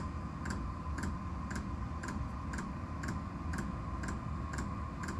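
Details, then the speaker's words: Diesel heater starting at about 4.5 Hz pump setting: crisp, evenly spaced ticks about two a second over a steady blower hum as the fuel pump begins pumping, a few minutes into the start cycle: normal. "I hear that ticking that's the fuel pump pumping so it's gonna get ready to start working"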